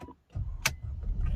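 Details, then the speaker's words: Mercedes-Benz E200 after replacing a failed electric steering lock (ESL) that caused a silent no-start, registered and codes cleared: click, starter catches, engine fires into a low steady rumble; clean start, repaired. "ติดใช้งานได้เหมือนเดิมนะครับ"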